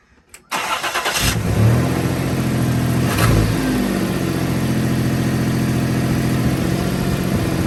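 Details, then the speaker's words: 1995 Toyota 4Runner 3.0 V6 after rewiring a removed part that cured a misfire: cranks and settles into steady, slightly high, smooth idle; exhaust leak still present. Normal idle. "Oh, DJ, that fixed it. A little higher idle. She sounds smooth now."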